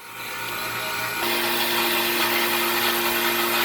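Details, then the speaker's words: Hoshizaki ice machine with low ice production and a bad TXV, in harvest mode waiting for the freeze cycle: a steady hum jumps to a harsh, rattly buzz with a raised whine. The compressor sounds unhealthy and the technician warns it is going bad. "I'm waiting for the water pump to start back got them a freeze mode but God that compressor sounds like crap let's look at that that does not sound healthy"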